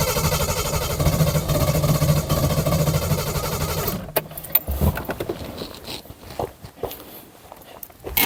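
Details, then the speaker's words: 1972 Triumph 2000 Mk2 2.0L inline-six unused 20 years, fuel added to the carbs, choke out, worn vacuum parts: it catches and runs roughly, not on all cylinders, then dies. Fueling problem suspected, not confirmed. "She was running for a bit. Come on. Come on, baby. It doesn't sound like it's firing on all cylinders. That's probably the problem."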